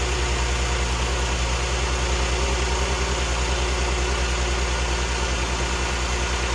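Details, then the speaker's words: 2013 VW CC 3.6 direct-injection engine, freshly rebuilt, just after first start: steady, even idle pulse with solid low rumble and no knock or miss; running clean, purring. "It's just that initial start. Listen to that. Direct injection. Oh, it's purring. Oh, she's purring."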